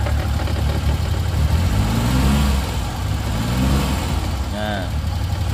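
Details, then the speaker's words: 1989 Daihatsu Hijet Zebra 1000: low even idle pulse with slight rise and fall, no knocks, ticks or misses; smooth normal idle. "Kita lanjut nyalakan mesin mobilnya. Nah, untuk mesin mobilnya suaranya seperti ini teman-teman."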